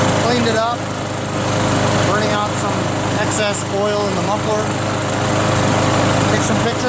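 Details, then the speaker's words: Free curb-pick John Deere JS63 mower, single-cylinder, run to burn fuel dry for storage (about 25 minutes): steady, even drone at constant speed, no misses or rattles; healthy normal running. "still has so much gas in it running it dry so I could store it"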